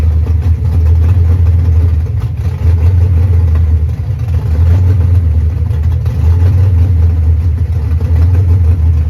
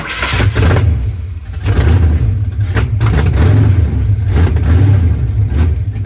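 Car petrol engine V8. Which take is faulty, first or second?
second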